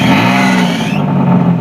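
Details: 2003 Nissan Maxima with replacement engine, no overheating, more power: short rev climbing and falling back cleanly, smooth tone, no knock or rattle; AC makes a little noise. Normal revving.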